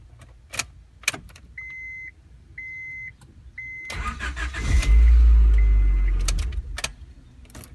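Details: 1994 Honda Accord EX with a crank-no-start fault (no spark, no fuel pressure) traced to a burnt ECU, started on a borrowed ECU from a B16 DOHC engine; three chimes, brief crank, then it catches cleanly and runs strongly. Normal start.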